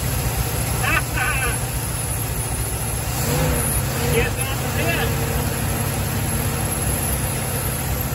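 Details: 1974 Dodge B300 Minnie Winnie with a 360 V8, parked 27 years, started after the ballast resistor was replaced. A steady, even low rumble with no stumble or misfire, holding its speed. Normal idle after the fix, not yet hot.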